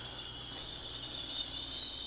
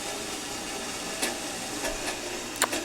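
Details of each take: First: Mr. Coffee tea kettle filled to maximum, reaching the boil after almost 10 minutes; steady piercing high whistle over soft hiss, train-like, whistling normally at boil. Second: Mr. Coffee tea kettle filled to maximum, heating; quiet steady hiss with faint ticks, an odd noise of unclear cause while heating.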